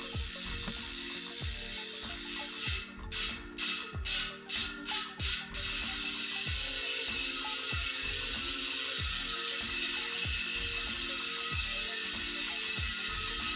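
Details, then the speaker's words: New Hope 20Five-RS4 rear wheel with Hope RS4 centre-lock hub, no tyre fitted: fast, crisp, even metallic freehub clicking as the wheel coasts, a bit metallic without a tyre. Normal freehub ratchet buzz. "so yeah i don't think that sounds too bad um i always think we'll sound worse when they don't have a tyre on it sort of a metallic sound to it"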